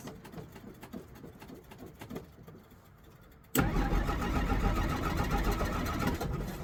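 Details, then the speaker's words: 1963 Jeep Gladiator with a battery probably nearly dead after the key was left on; pedal pumping used. Three seconds of quiet, uneven cranking, then it catches abruptly and runs rough and loud: a hard start, cause unknown. "You gotta start up and stay cranked up because your battery's probably almost dead."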